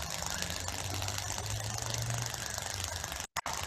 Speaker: donc des décharges partielle des effets couronne vous l'avez peut-être déjà entendu sous des lignes à haute tension donc c'est le stade le plus précoce de défaut c'est une fuite de courant qui fait vibrer l'air à la fréquence du courant